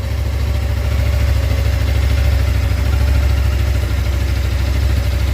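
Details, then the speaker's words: Suzuki GSX250R fuel-injected bike after FI light repair, light gone, low fuel: engine idles with a steady, even low thrum, no misses or knocks, no fuel leaks; running clean and healthy. "sounds good sounds good going to let it run for a minute make sure I don't see any dripping down from the bike"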